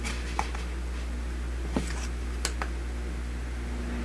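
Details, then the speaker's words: Old three-fan window fan after repair, one fan had stopped spinning, blades lifted to stop rubbing: low, smooth steady drone with only a few stray clicks, no grinding or squeal, much quieter than before; all three spinning, normal running. "Wow, it's much quieter than it used to be. Very cool. There you go. It's all fixed. All three of them are spinning."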